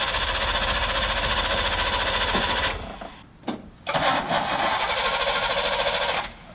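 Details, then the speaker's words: 3rd-gen Camaro with a failed fuel pump, cranked after a kill switch was bumped: two bursts of even cranking at about three and a half turns a second that never catch, then die off; no start, battery almost dead. "Yeah, your battery's almost dead too, so we'll stop that."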